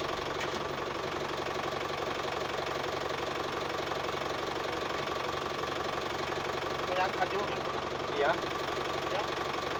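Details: Office-owned diesel tractor that would not start because the battery was not charging, after charging-system repair: steady, even clatter at a settled idle, no stumbling or dropouts, faint background sounds; running normally.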